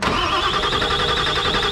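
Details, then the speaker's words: Ford 7.3 OBS diesel truck after installing 160cc stock injectors and an oil change: fast even starter churn about twelve beats a second, no catch yet, extended cranking to purge air from the fuel system. "gonna have to crank a little bit a couple more times so it gets all the air out of the"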